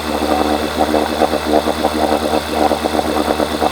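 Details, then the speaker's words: 1980 Evinrude 4.5hp two-stroke outboard before carburetor rebuild, idling lumpy and uneven, surging and stumbling; runs with the fuel valve shut but floods with it open, owner suspects a stuck needle drawing too much fuel, not confirmed. "So, what I notice is if I shut the valve off, it runs. Turn it on. Pulling in too much fuel. So, I think the needle might be stuck and that's why I probably have to keep filling the tank all the time."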